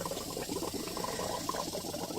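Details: Samsung inverter refrigerator 4-way electronic valve with the compressor switched on and the valve stepped through positions by a tester. Soft irregular gurgling and bubbling of refrigerant with faint ticks: normal flow.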